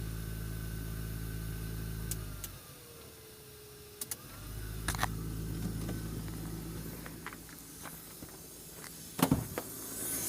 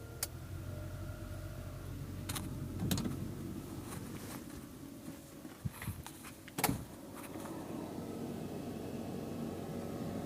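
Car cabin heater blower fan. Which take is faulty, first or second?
first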